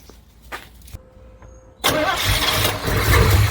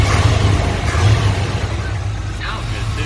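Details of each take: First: 1988 Chevy K2500 pickup, long sitting, converted from fuel injection to carburetor; after cranking and catching, idle stays rough and stumbling, missing on one or more cylinders, heavy fuel smell; owner suspects contaminants sucked into fuel system, not confirmed. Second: 1988 Chevy K2500 pickup, long-sitting, converted from factory fuel injection to a rebuilt Edelbrock 650 carburetor with new starter, clutch master and slave cylinders: deep V8 rumble revving and easing off evenly, no stumble or misfire; normal rev, engine healthy.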